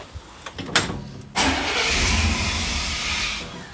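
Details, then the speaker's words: 1994 Chevrolet one-ton pickup, 350 gas engine, no-start after being shut off in shop: weak cranks, then it catches on starting fluid and roars about two seconds before dying; fuel reaches the valley but likely isn't being injected, not yet confirmed. "so it started and died so more than likely we're not injecting fuel start it one more time"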